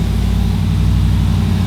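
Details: Hemi-swapped Jeep Wrangler after installing a PSC power steering pump and reservoir kit, mic aimed at the front of the engine; low, steady V8 idle with even pulses and no pump whine, healthy.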